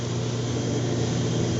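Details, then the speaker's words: 1986 Clean Burn AH 86 140k BTU waste oil furnace just started from thermostat (shop at 58°F), pump running: steady, even low roar without surging, popping or rattles; burner lit and firing normally. "It's showing the burner's engaged. And we'll go up and take a look at it. Now, so the pump is now running."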